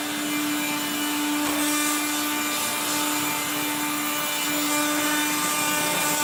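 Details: 1970s blue Regina Electrikbroom 3-speed vacuum vacuuming a floor: harsh, raspy grinding over a steady motor whine throughout, from motor bearings gone dry after someone washed the motor, especially the fan.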